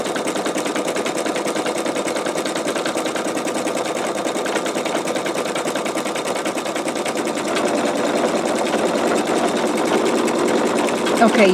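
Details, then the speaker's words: Embroidery machine sewing a T-shirt: fast, steady needle chatter about three stitches a second, a little louder near the end. The stitcher says it sounds weird here while doing a satin stitch; normal satin stitching. "you can see, you can hear where it was getting kind of like weird sounding right there, and that was doing some, I believe it was doing satin stitch."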